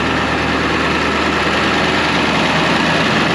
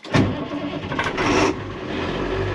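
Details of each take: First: 2001 International 4700 diesel plow truck, parked at idle: rough, uneven rumble that swells and fades as it revs itself up, RPM gauge reading none; cause unclear. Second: 2001 International 4700 diesel plow truck, cold after sitting a couple days: after the wait-to-start light clears, it cranks briefly, catches with a loud burst and settles into a steady, even idle; clean cold start.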